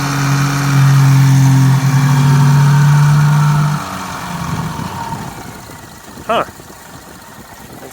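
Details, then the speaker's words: 2015 Subaru Forester FB25 2.5L with DIY Eaton M65 supercharger, inlets capped to simulate blocking airflow when off, alternate-path throttle left closed: strained droning note then much quieter; engine starving for air through blocked supercharger inlet, flawed test. "supercharger inlets are capped off this would simulate putting another throttle body in here to block supercharger air flow when it's not turned on let's see how it sounds whoa it is a lot quieter"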